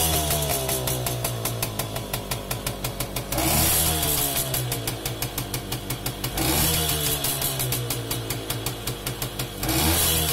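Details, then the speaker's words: Romet 2375 (Komar) two-stroke, non-original replacement carb with air screw at 1.5 turns out: throttle blipped about every three seconds, revs climb cleanly and drop back to steady idle; response sounds healthy and well set. "faktycznie jest dobrze ustawiony. Jest w sumie na 1,5 obrotu, tak jak miało być."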